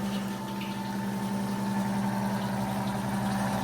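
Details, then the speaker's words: Rebuilt 90-year-old Gilbarco Model 80 (GMB 80) gas pump running on diesel: constant, smooth motor hum with a fixed low tone and even whir, no rattles or labouring; it runs quite smoothly after 90 years. "She runs quite smoothly after 90 years. Success."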